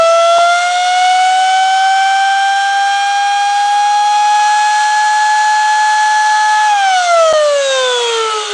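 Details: First stage of a multi-stage Tesla turbine kit, run alone with the second stage disconnected and fed by a standard air compressor: clean steady whine near 700 Hz slowly climbs, then falls smoothly as air is cut. Normal spin-up whine.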